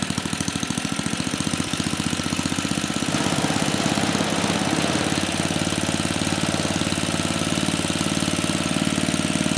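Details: Troy-Bilt Tuffy tiller (model 12060), 34-year-old Tecumseh H30-35387Y single-cylinder that had no compression; after repair with new head gasket and clone carburetor, it pops fast and steady, picks up speed, then holds firm with no knocks; running fine.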